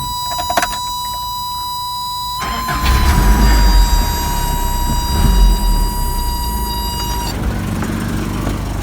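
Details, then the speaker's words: 1985 Toyota pickup, 22R engine, after reconnecting the 80 amp fusible link with a wire nut following a no-start: quiet spell, starter turns briefly, engine catches quickly and settles into an even steady run; normal start. "as you can see i just put the wire nut back on so we should get an easy start now"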